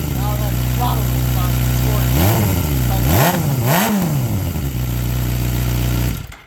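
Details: 2007 Suzuki GSX-R 600 with a cheap new aftermarket muffler fitted after a crash. Even idle with three clean rev blips and no rattles; engine and new muffler sound healthy.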